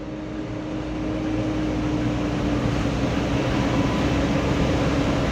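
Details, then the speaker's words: Mitsubishi Canter Euro 4 SHDX truck on a test drive: steady low fan-like drone at one pitch under throttle, growing slightly louder as it pulls, yet power remains; the drone later disappears; source unclear. "ini muncul suara bengong ya kayak kipas tapi tenaganya ini masih loh masih bisa jalan"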